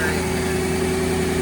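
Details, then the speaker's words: Mercedes G-Wagon V8 idling after engine cleanup of stray oil, new oil, new filter and fresh coolant: smooth constant low rumble, no ticking or knocking; slight smoke from residual oil burning off, otherwise running great; normal idle. "there is going to be a little bit of smoke cuz it's burning off oil that was down there but other than that she's running great"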